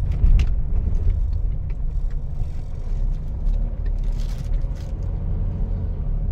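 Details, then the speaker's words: Mitsubishi Montero SUV on a test drive over a speed hump after an insulator was added to the rear coil spring. Only a deep, steady road rumble is heard, and the earlier rear knock is gone. "Sir nawala nawala na sir doon sa pagkan natin sa Evangelista sir pero hahatulan ko na yan sir Okay na yan"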